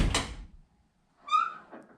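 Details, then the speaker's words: 1955–57 Chevrolet front door; short latch clunk, then a clear rising squeak as the door swings open, the normal quirk of these cars' front door hinge design. "so the hinges the way they're made I'm getting ready to show you a door hands off the car and I'm going to show you why they make that sound"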